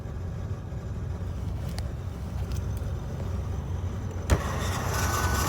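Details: SsangYong Musso driving with a heavy, uneven low rumble and drone, cause unknown. The noise goes away after selecting high 4WD and back, or after shifting reverse then forward. Nothing looks wrong underneath; it started on bitumen.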